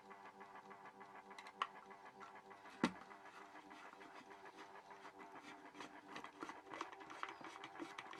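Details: Horstmann VA Mk9 SRS2 rate changer time switch, 240V 50Hz synchronous motor, just plugged in: quiet steady whirr with light irregular ticking, because the 15-day spring reserve was unwound and is winding; normal, not a malfunction.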